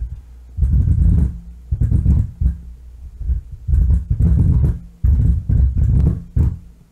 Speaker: power on i'm still hearing something [Music] wow that control is like really